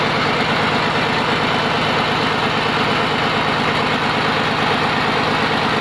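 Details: Komatsu PC200-8M0 diesel engine running after overhaul: steady idle, even low rumble with clean uniform beat, no knocks or misses; healthy normal idle.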